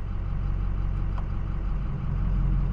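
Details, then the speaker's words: 6.0L Powerstroke diesel being diagnosed for P0299 turbo underboost code, VGT vanes commanded open and closed with scan tool: steady, even deep idle rumble, no knocks or misses; normal idle with turbo vanes closed. "I can open and close it and when you do this you can hear the engine change in sound so I'm going to open it and then I'm going to close it"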